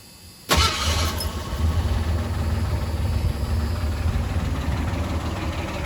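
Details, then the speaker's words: 1985 Ford Ranger after engine teardown and rebuild, with a misinstalled cam bearing drilled to restore oil to the driver's-side head: hot restart after a half-hour heat soak fires instantly and settles into a smooth, even low idle with no misses or kicks; oiling problem fixed. "that started immediately and it's running pretty smooth i would say that that's the final test of that one"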